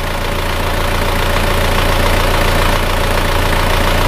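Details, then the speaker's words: Isuzu Panther diesel rebuilt with new original liners, pistons and rings, idling cold before a 45-minute warm-up. Steady, even clatter at about three and a half pulses a second with no misses or heavy knocks; smooth, stable idle. "suaranya seperti ini hidupnya juga sama rata idenya stasioner sama stasiunnya"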